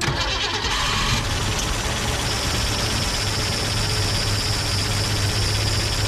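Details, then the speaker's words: 1965 Mustang with a roller 302 V8, new electronic distributor and rebuilt Holley 4010 carb, after advancing the timing: catches after a brief crank and settles into a steady, even idle with no misfire or knock; a little exhaust smoke. "voila it's not exactly like a top but it runs all right there runs pretty good little smoke coming out the exhaust but that's all right"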